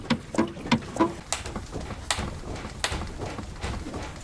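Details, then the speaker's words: Car body rocked by hand: short creaks and dry crunches about three a second from the rear suspension, traced to the silent block right under the rear arm bushing; rear arms are to be replaced. "Скрипит, хрустит. Всего лишь. Источник скрипа у нас находится вот здесь. Ровно под втулкой."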